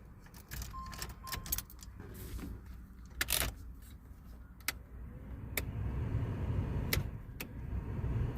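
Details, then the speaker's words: 1988 Pontiac Firebird (1982–1992 F-body) heater/AC blower motor right after replacement; some clicks and rattle, then a soft steady rushing hum that holds even; the old motor was noisy and weak, the new one runs quietly and blows strongly. "works oh yeah that's pumping out real good all right success"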